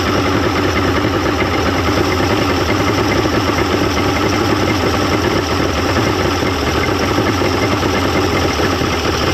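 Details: 1995 Mercury 200hp XR6 Blackmax outboard, after timing adjustment and clearing carb jets: smooth even idle, steady rumble, no misses or hunting over ten seconds; runs much better than yesterday, normal idle.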